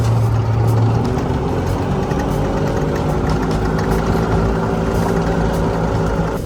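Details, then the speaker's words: EZ-GO golf cart engine after years of sitting, with a new carburetor fitted and the fuel pump re-primed; starts right up and holds a steady, even putter with no knocks or misses; running normally. "After getting the fuel pump re-primed, it started right up and was running great."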